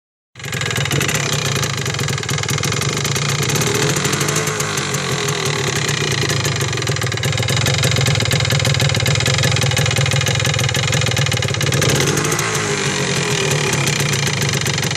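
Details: 1979 Yamaha DT250 Enduro two-stroke idling rough and rattly with irregular knocking over low drone; loses power around 30 mph in all gears and dies despite new plug, cleaned air filter, checked fuel filter; engine knock suspected.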